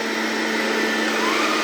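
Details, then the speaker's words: Xiaomi Robot Vacuum G1 after replacing the suction fan, long-abused unit reassembled: steady smooth high-pitched whoosh with even tone, no rattle or scraping; suction fan spinning normally. "yeah you can hear the fence spinning now so that's very good"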